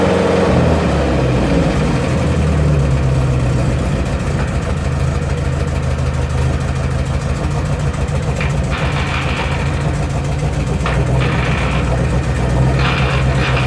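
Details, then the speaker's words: 1972 Range Rover (A suffix) with tight engine on a start-and-charge booster, ignition roughly set, exhaust blowing: harsh grating bursts as second gear is selected; owner suspects the reverse gear selector adjustment above it, not second gear. "Second gear, it needs adjusting, it's grinding. pretty sure that the grating on second gear is nothing to do with second gear, but to do with the reverse gear, because it's right above it."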